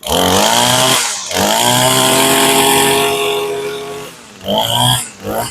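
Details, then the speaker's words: Warm small two-stroke lawn equipment restarted with its gas tank emptied for winter storage: high buzz drops out and surges back unevenly as the carburetor runs dry before stalling; fuel starvation. "You heard it fighting and you can hear it taking every last drop of gas out of the carburetor."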